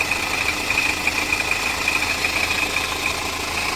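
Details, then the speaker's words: Steady metallic clatter at idle with a loose, tinny chatter up high that never settles. The tech suspects the timing chain, saying it is the chain bouncing around in there making the noise. "In case you were just wondering what that sounds like, that's the chain bouncing around in there making all that"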